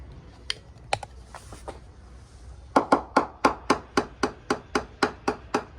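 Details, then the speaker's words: Freedom 35 yacht balsa-cored hull, hammer percussion test: sharp, ringing taps about twice a second stay crisp and hard over the glass-tabbed ply bulkhead, softer either side; solid hull at bulkhead. "And you'll see that as we move on, and I tap either side of it, you'll hear how it's softer, the return is lower, but around the bulkhead the return is much higher. So that's how we can identify where the bulkheads are using the hammer."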